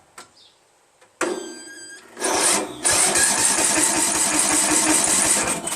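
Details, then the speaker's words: Free Craftsman LT1000 16 hp lawn tractor, after tightening loose battery contacts: strong, even starter cranking for about three seconds with steady compression strokes but never fires; crank no start, fuel smell noted. "So, obviously it didn't start, so it's not good. I smell fuel."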